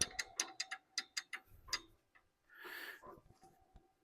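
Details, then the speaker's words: 1997 Ford F-250 Dana 50 front axle, hub spun by hand during brake and bearing service: light clicking that slows as it coasts, just locking hub noise, no grinding or rumble; bearings likely fine, slight play possibly in the cap. "sounds like the lockout makes a little bit of noise but not too too bad so don't think we have any bearing issues here"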